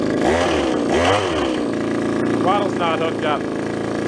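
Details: Japanese-made, landscaper-grade two-stroke trimmer found at a garage sale, run despite the owner's suspicion of a stiffened carburetor diaphragm: a strong buzz with revs swinging up and down cleanly and no stalling. It runs fine.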